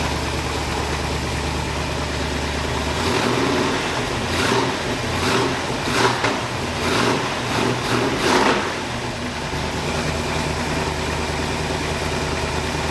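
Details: 1981 Oldsmobile Cutlass Supreme with swapped small-block V8, new headers, during cam break-in after starter fix: even V8 idle broken by sharp throttle blips rising and settling cleanly; normal healthy running and revving.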